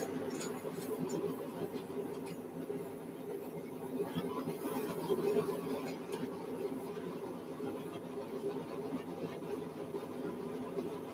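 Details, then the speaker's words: New three-burner forge: a steady burner roar broken by irregular spitting and popping bursts from the front burner; cause not yet clear. "You guys hear that? Something spitting and sputtering on that thing, and I don't know if I care for that too much."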